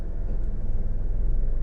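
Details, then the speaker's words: 2012 Nissan Rogue in gear, after induction service, throttle body and MAF cleaning: low steady idle rumble as A/C compressor engages, rpm needle barely dips, no shudder; smooth idle. "turn on the AC yep turn it on again the needle barely comes down now I'm gonna turn it off turn it back on"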